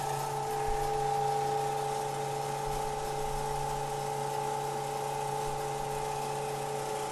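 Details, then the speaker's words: Harbor Freight 14-inch band saw after the Accu-Link belt install, covers open: an even, steady hum with a clean, constant tone and no thumping or rattle; much smoother, with the earlier vibration now gone. "it is much smoother than before before i was getting a lot of vibration everything's smoothed out"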